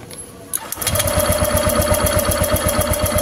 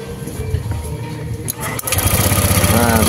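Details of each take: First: Honda Vario 150 scooter, died with no ignition: steady starter cranking about four beats a second, never fires; spark very small and intermittent. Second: Honda Vario 150 scooter that died with no ignition, running on a substitute ignition coil: starter whirr, then catches and settles into steady even idle, no misfire; original coil (primary resistance 2.2 vs 2.7) likely weak.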